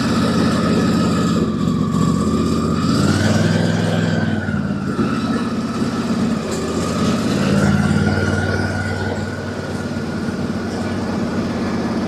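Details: Husqvarna YTH24 mower with Briggs & Stratton Intek V-twin 24 HP: steady running with a thin whistle and occasional small pops; leaking, separating plastic intake manifold.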